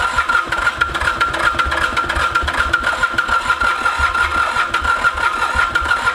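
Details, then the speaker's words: Mitsubishi K3D diesel in a Ransomes Bobcat mower after 9 years idle, glow plugs jumpered: steady rhythmic cranking with a thin starter whine, never fires; owner suspects insufficient compression, possibly head, unconfirmed. "tell me you think you are so close I'm getting a little suspicious that we don't have enough compression here"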